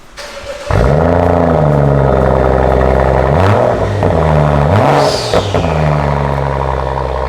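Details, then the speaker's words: Wrecked 2016 BMW M235i being rebuilt: engine fires instantly, crisp rev blips rise and fall cleanly, then a smooth even idle with no knocks or rattles; motor runs good. "Okay, I'm happy that the motor runs good. As you seen in the video, it starts up, sounds good."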